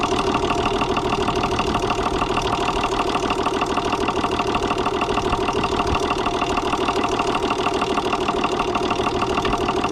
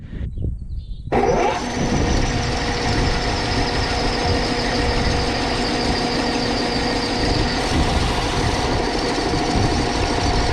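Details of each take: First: Gaso 3211 injection pump: steady mechanical clatter with loud valve slam and an even, rod-knock-like knock about three times a second; the knock is suspected to come from a loose crosshead, not confirmed. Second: Overhauled Gaso 3211 pump running without oil, bearings sprayed with Micro Mist spray oil, checking for heat: starts and settles into a smooth, steady run with no knocking or binding. Pump turns completely free.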